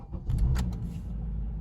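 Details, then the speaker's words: 2013 Honda Accord, first start after fuel pump replacement; it previously needed 3–5 seconds of cranking: a brief crank, then it catches immediately and settles into a low, steady idle with no stumbling. "started right up that's actually very surprising"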